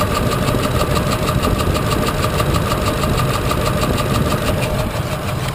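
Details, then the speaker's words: 2004/2005 Ford Expedition, hard starting with a rough idle, heard through a stethoscope: sharp clacking about three per second with knocking underneath. Initially a cam phaser was suspected; the cause was a broken cylinder 3 lifter that threw its rocker arm, bent a valve and destroyed the camshaft. "and what I can hear that I don't think you can hear is that when I check this side you can definitely hear the clacking"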